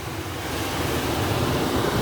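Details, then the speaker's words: Rheem gas furnace with water-soaked board in humid space, thermostat jumped red to green for cooling: condenser starts, blower at high speed, steady whooshing air with low hum; normal cooling operation. "so the thermostat being uh in the cool mode in the house means all i have to do is jump red and green and you hear the condenser come on immediately and then there's high speed"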